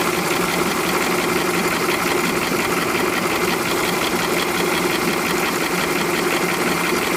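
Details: 2005 VW Polo 1.4 with 84,810 miles, hot idle: a fast, light metallic clicking running steadily over the engine note. Cause unknown; valve train or injectors worth checking.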